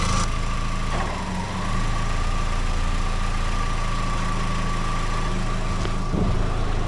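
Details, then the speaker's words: 2004 VW Golf 2.0 after replacing a cracked belt that had been noisy with A/C on: smooth, steady idle as the A/C compressor kicks on, both fans working, no squeal or chirp from the new belt; repair successful. "all right I think I heard it kick on the compressor is turning both fans are working you don't hear anything coming from the belt"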